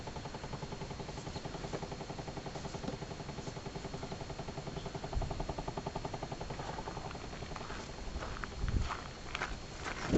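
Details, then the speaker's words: 2011 Chevy Impala, engine off and door shut: fast steady clicking inside the cabin behind the console, felt on the dashboard air conditioner/heater ductwork; starts at any time whether running or not, cause unknown. "boy I can really feel it there on the duct work for the air conditioner the heater"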